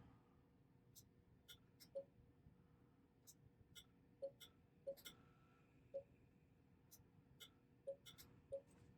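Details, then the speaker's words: Battery-damaged Apple Macintosh IIfx after trace repair, first power-on with speaker connected: short thin chirps repeating irregularly about every second over a quiet hum, power supply LED blinking on and off; power supply suspected of failing to start, not confirmed. "Now, is that a fault of the power supply? I kind of think it might be. Because it sounds like it's not starting. It sounds like the board is ready to go, but the power supply is what's having problems."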